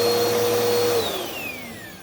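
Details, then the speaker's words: Purple Bissell Powerforce Helix upright vacuum after about 6 months unused, motor run: steady high whine then smooth even wind-down, no rattle or grinding; most brush-hole bearings previously replaced, no warped base; normal healthy motor. "All right, that one's fine."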